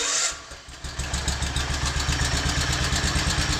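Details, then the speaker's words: Wheel Horse C-120 tractor with a 12 hp Kohler twin, unrun for several years, on a new battery: starts on the key with one small pop, then settles into a quiet, even thumping idle with no smoke, knocks or misses; normal start and idle. "That runs like a top. I am so happy. No smoke. Got a little pop when we very first started it. Come right out of it."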